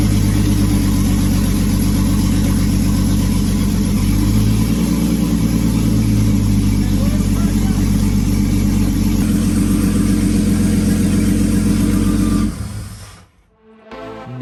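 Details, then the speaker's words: 2001 Jeep Wrangler after an engine swap, first run once the radiator was topped off with coolant, intake not yet installed: loud, raw open-pipe sound, smooth steady idle about twelve seconds, fires evenly with no knock, then shuts off; normal running. "we topped off the radiator with coolant so we could run the motor for more than two milliseconds and finally hear what she really sounded like"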